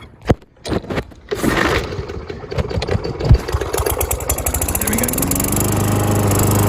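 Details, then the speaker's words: Briggs and Stratton lawn mower unused for a while, pull-started with throttle opened: several rattling cord pulls and a sputter before it catches, then a steady run. Hard starting, likely from old, stale gas. "they probably noticed that when it first kicked on it wouldn't kick on right away it did have a little bit of a trouble and that's because the gas is not great maybe starting to turn and not be usable anymore"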